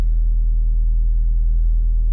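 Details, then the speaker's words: VW Golf Mk4 1.8T idling with fuel pump fuse removed before pump replacement, left to run until it dies: deep uneven, lumpy idle as the remaining fuel runs out; fuel starvation. "Oh, oh, oh, oh, oh, oh, oh, oh, oh, oh, it's lumpy, it's lumpy."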